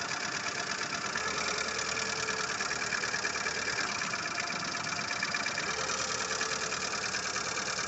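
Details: Lada Largus 1.6 petrol engine at idle: light, fast clatter of ticks over the idle, knocking from the hydraulic lifters.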